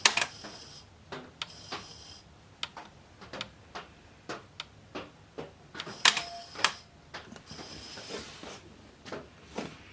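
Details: 1989 Pioneer CT-S405 cassette deck on first power-up test: irregular sharp ticks and clatters from the tape mechanism, unevenly spaced, with no steady motor run; the deck is jamming.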